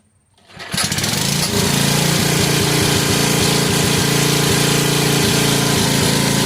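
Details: 1986 Troy-Bilt Horse rear-tine tiller after PTO service, tine reassembly and transmission fluid fill, started outdoors: engine catches within a second and settles into a steady, even single-cylinder beat with no misses; normal running.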